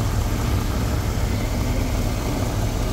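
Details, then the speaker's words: 1972 Lincoln Continental Mark IV: steady, smooth low idle with even rumble and no whine after topping up the low power steering reservoir; pump now runs quietly. "and you don't hear the wine anymore because I feel the power steering reservoir so it sounds much better"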